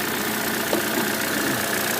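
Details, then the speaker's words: 2014 Chevy Cruze Ecotec, crank-no-start traced not to a fuse but an electrical short at the coil pack plug, cleaned with contact cleaner: even, steady idle, no stumbles or skips, running cleanly. "wound up not being a fuse it's just a simple electrical short in the coil pack"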